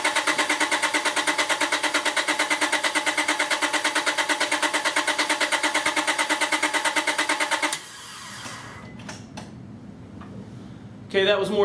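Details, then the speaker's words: 2001 Honda Accord V6 with an intermittent no-start, a bad ignition switch suspected. The PGM-FI main relay is unplugged so it cannot run. Cranked on a NOCO GB70 jump pack with the battery at about 0.2 V: an even starter churn of about three beats a second for eight seconds, never catches. "right now I have the uh pgmfi main relay unplugged just to keep it from running and uh I'm going to crank it"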